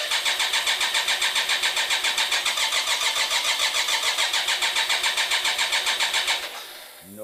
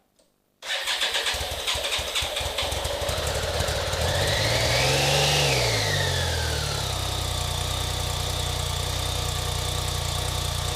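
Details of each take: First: BMW K-bike with horizontal cylinders after winter storage, choke on, fuel pump running: even starter cranking about three and a half turns a second that never catches; dry, compression-less cylinders, fix is adding 10 cc oil per cylinder. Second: BMW K-bike with horizontal cylinders, cranking but not starting after winter storage, starts first try after 10 cc oil per cylinder restores compression; revs briefly, then settles to a smooth, even idle. Expect smoke from the added oil.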